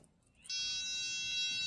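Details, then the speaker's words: Autel PS100 diagnostic tester in resistance mode, its two probe tips touched together: a steady high-pitched continuity buzz comes on and holds, confirming good continuity through the lead to the tip. "So here buzzing, right? So it's letting me know that I have continuity that's flowing through this cable back to the tip of this. That's letting me know that all is well."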